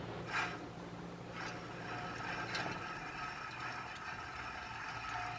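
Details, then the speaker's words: 2006 Chevrolet Impala hub assembly turned by hand off the car: a quiet gritty rasp and faint rattle where it should be silent, from a worn wheel bearing; the hub shows heat discoloration and the bearing hums louder with road speed. "you're not supposed to hear anything when you turn that wheel better that's one way you could tell the wheel bearing is bad"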